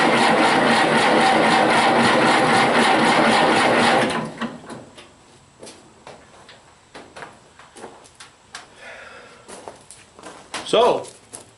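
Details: Massey Harris 81 tractor, sitting about 15 years, new battery, in neutral: about four seconds steady cranking near two turns a second, no firing even with starting fluid; cranks but no start, cause unconfirmed, spark check next.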